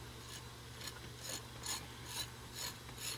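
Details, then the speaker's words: Rebuilt piston-style hydraulic pump from a 1964 Ford 4000 4-cylinder tractor, turned by hand after installing gear and wobble shaft: regular swish-and-click stroke about twice a second, smooth and even; pumping normally. "you should be able to hear it pumping"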